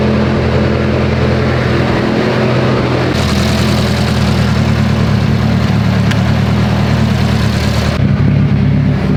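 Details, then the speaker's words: Mitsubishi Evo 8 right after head work, first start, warming up toward operating temperature: very loud, deep idle with a slightly lumpy loping beat that stays steady and never stumbles; revs fine, oil pressure good; normal lopey cam idle. "this thing's so freaking loud guys it does sound funny idle it sounds like it has a mess idol i'm gonna let it warm up all the way though because it's running fine it revs fine"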